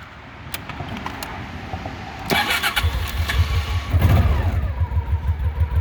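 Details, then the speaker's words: 1990 Honda Pacific Coast PC800, carbureted: the starter turns briefly, then the engine catches and settles into a steady, even low idle pulse with no knocks; a healthy start. "So let's fire it up just so you can hear it."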